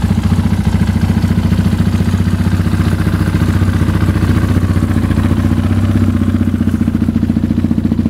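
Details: KTM 690 SMR single with newly fitted Akrapovic exhausts; it ran rough before with the latest KTM map. Deep, even idle thump at about 220 beats a minute, clean with no knocks. Healthy idle.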